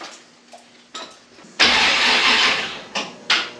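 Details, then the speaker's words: Model A rat rod, cranking after a TH400 transmission rebuild and install, with the battery terminal needing tightening. The starter groans through sluggish bursts and a labored spin without catching. Slow cranking; owner thinks the battery is on its last legs. "She wants to crank. Still a little slow, but she wants to crank. Battery's on its last legs, I think."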